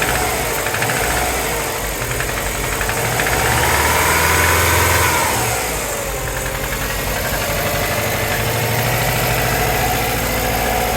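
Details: 2003 Subaru WRX with JDM EJ205 turbo flat-four, catless up-pipe and downpipe, safety tune: cold start with steady rattly tick-knock about three a second; owner unsure whether valvetrain or possible rod knock.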